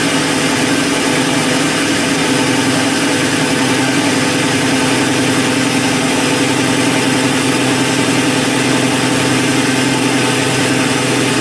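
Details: Replacement Super Max trailer jack gearbox driven by a drill on fresh battery, lifting an empty trailer: constant buzzing whine holding steady pitch, no clunks or grinding; gearbox working properly under load.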